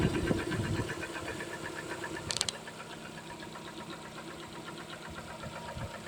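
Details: Lada Kalina 2, automatic transmission, 6,800 km: a light, quick, uneven but persistent ticking of roughly four per second over a quiet idle. Engine knock, source not yet pinned down.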